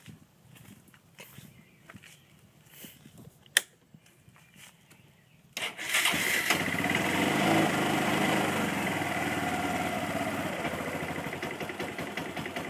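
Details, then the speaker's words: Kawasaki engine idling: after a few quiet clicks it fires and a quick, fairly regular tapping knock rides over the exhaust; owner suspects the clutch, either a worn washer letting it slide on the crankshaft or a bad clutch bearing. "I've looked up a lot of things and I'm 100% sure it's the clutch. And the way the clutch makes that sound is either by it sliding left and right on the crankshaft, because apparently there's a washer on there that gets worn out over time or something like that, or the clutch bearing is bad."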